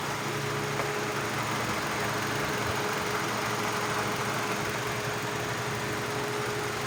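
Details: Hyundai Elantra, no-crank no-start part 2: steady, even idle with smooth low hum, no misses or knocks; normal idle.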